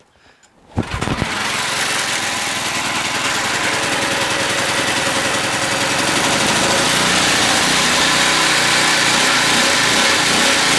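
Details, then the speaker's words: Briggs & Stratton opposed-twin mower engine with loose head bolts and low compression, started on choke: runs with a slight hunting rise and fall in speed. Surging; owner suspects a dirty carburetor needing a clean. "pretty cool so I probably needs a little bit of a carb clean but it's pretty good runs searches a little which means that carburetor might be kind of dirty"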